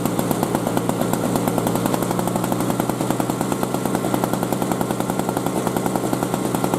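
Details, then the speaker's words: 2003 Murray single-stage two-stroke snow blower, first run in 5 years: a crisp, even buzz with steady rapid firing and no misses or stumbles, holding speed; normal running. "well she's a runner"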